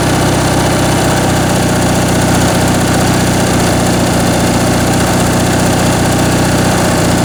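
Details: Briggs & Stratton 19.5 hp opposed twin-cylinder riding-mower (Craftsman) engine idling on bench test after carb rebuild and stripped main jet repair: loud, steady low putter about three beats a second, even with no misses or knocks; healthy idle.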